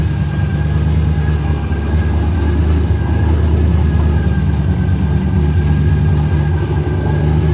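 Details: 1968 LeMans convertible, cold start with the headers cold to the touch: steady low rumble with an even idle and no knocks or ticks, a healthy V8 settling after a cold start; normal idle.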